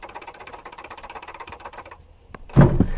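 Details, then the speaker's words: Honda Civic EP3 Type R, drive belt removed, idler pulley spun by hand: fast gritty ticking that slows as it coasts down; idler pulley bearing rough and worn, needs replacing, other pulleys free and quiet. "idler pulley has failed the topside ones here are all good all of them are free no noise that needs to be replaced"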